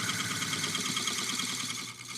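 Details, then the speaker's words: Woodturning an oak burl bowl on a lathe: light, hissy cutting with a fast flutter, thinner and higher than on solid wood, as the gouge cuts the unsupported thin side wall. "Completely different. It's also the difference between supported wood. In other words, this has the wood supporting underneath it. Out here, there's nothing supporting this."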